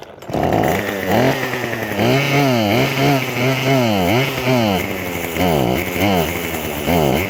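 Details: Craftsman WS2400 two-stroke pole saw, bought used from a pawn shop, starts but runs poorly; revs swing up and down unevenly and won't hold steady, worse than at the shop.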